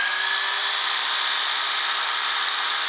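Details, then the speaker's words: Panasonic SA-HT820V VCR/5-disc DVD combo rewinding at high speed to the beginning after the tape reaches its end, tape still loaded on the heads; steady high hiss-like whine with a faint thin tone, "like a jet engine"; normal fast rewind. "It sounds like a jet engine, like some people in the VCR community would say."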